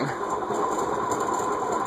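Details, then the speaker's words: Cast-iron Heat Recovery Systems L-356 ceiling fan circa 1991, previously locked up and freed with WD-40, on medium-high: steady dry scratchy hiss with faint high tone over the running hum; dry, dirty top bearing. "yeah there's definitely some more dry and dirty bearing noise you're hearing there"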